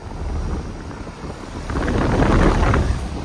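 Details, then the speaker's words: 2023 Carrier Comfort 2-ton outdoor air conditioner caught starting up: low steady rumble that builds and settles as the compressor comes up to speed, no knocking or rattling; unknown scroll compressor, owner thinks it sounds like an Emerson Copeland; normal start. "It's got an unknown scroll compressor. Sounds like an Emerson Copeland scroll."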